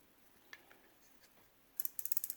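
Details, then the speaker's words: Vintage circa-1978 Zebco Omega 113 reel during service, drag clicker tab that was bent over now bent back against the scalloped drag edge: quick burst of about eight crisp evenly spaced ticks as line pulls off, clicker working. "So we're going to bend that up so that we can hear it when the drag goes out."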